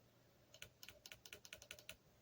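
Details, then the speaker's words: VW Rabbit replacement automatic valve body solenoids bench-tested out of the car on a 12 V battery: about eight light, quick ticks in a quiet room; two or three solenoids click softer and weaker, owner suspects oil inside. "It's a little, this one and this one are a little softer, I guess, in terms of the loudness. So not a big deal, but since there may be oil in there, it's my guess."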